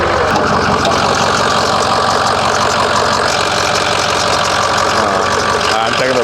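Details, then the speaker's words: 2006 Ford 6.0L Powerstroke diesel at first start, idling: steady idle with a faint, fairly even light tick. Owner suspects a belt issue, not confirmed; no blowby seen. "we got like a small tick I think it's a belt issue"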